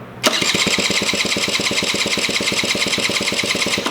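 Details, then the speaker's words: 1987 Honda Aero 50 scooter, first start attempt with the ignition relay missing, starter jumped by wire and a little throttle: cranks at a quick, even rate for about four seconds but never catches. Cause not confirmed. "So, good news is that the starter still works. This little wire is getting hot on me because I'm trying to jump it. I had a feeling I wasn't be able to get it fired up right away."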